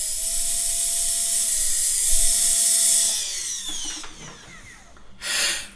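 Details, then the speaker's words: Bosch MSM6250 hand blender motor on test: high steady whine with a rough gritty edge before spinning down, motor getting hot with friction felt at the shaft; suspected ruined bearing, not confirmed. "Oh, it's even getting hot. So probably here we have a bearing which is gone. It sounds like a ruined bearing and it's really getting hot."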